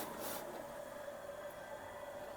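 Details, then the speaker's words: Home water purifier after reassembly (it had hummed without pumping; loose contact suspected), valve opened: the pump motor starts and gives a faint, steady, even hum with no rattle or surging while waiting for water. Normal pump running. "Okay, motor તો ચાલુ થઈ છે. જોઈએ પાણી આવે છે કે"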